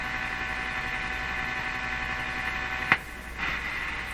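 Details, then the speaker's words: Nordmende Turandot tube radio on the 49-meter shortwave band, around 6 MHz, after FM IF alignment work; only a steady low mains hum with a faint buzz, no static hiss or stations. Reception dead, cause unknown. "wow that's that doesn't sound right it should be doing stuff should be picking up noise and interference"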